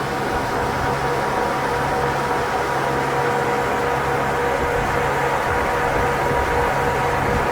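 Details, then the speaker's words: 1993–02 F-body with stock electric fans fitted as pushers on a stand-up radiator, bracket not yet made, both fans on, spinning clockwise; strong even whoosh, steady motor hum, no rattles or speed wobble, more airflow: normal fan operation. "all right there's both of them on man I can feel the wind out here it's moving a lot more that feels way better"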